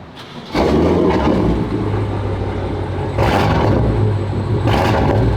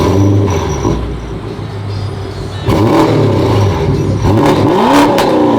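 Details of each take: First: BMW with aftermarket downpipes (sound predated them), at exhaust shop: deep startup rumble then sharp revs with a rough rasp on each, heard toward the front; exhaust leak. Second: Car after exhaust shop repair, heard from the back: revs climb and drop cleanly with smooth, even exhaust note, no raspy sound or rattle; exhaust now sealed.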